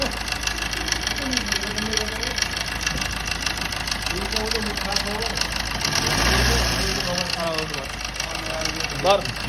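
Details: Suzuki Swift diesel idling with a loose, uneven knock of about two beats a second over the clatter — engine knocking at idle, cause not pinned down.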